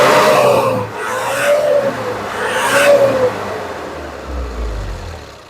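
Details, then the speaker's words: Nissan Urvan E25 ZD30 diesel with VP44 fuel pump, suspected of fuel pump trouble. It climbs and falls smoothly through three clean rev blips with no knock or miss, sounding healthy and responsive during a check-engine light check after a reset. "Ya, kita rest, tengok engine. Kita rest, dia ada keluar check engine, dia pun responsif."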